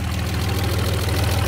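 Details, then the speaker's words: Alfa Romeo 156 GTA, 3.2 V6 Busso, revived after sitting over ten years: low, lumpy idle pulsing unevenly, close to dying; the airflow meter is judged dead. "lijn van de stroommeter los laat, dus in dit stadium zou ik zeggen dat de stroommeter dood is."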